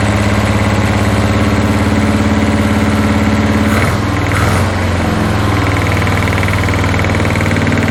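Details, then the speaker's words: 1981 Toyota Hilux RN46 4x4 with 18R-C engine, freshly rescued, running off a hand-held fuel can: uneven idle near two beats a second, then a stumble and backfire pop around four seconds; owner guesses timing slightly out. "I've got it running off the fuel can and's happy to risk her life to hold the fuel while it's backfiring I'm guessing she's still a little bit out of time"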